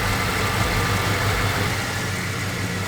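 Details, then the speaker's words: 1985 Chevy C10 V8 at warm idle after a transmission repair that cured slipping in high gear: an even, steady low rumble with no knocks or ticks, a healthy engine. "uh now that she's warmed up we're just gonna give a quick check to the trans fluid and then we'll be on our way"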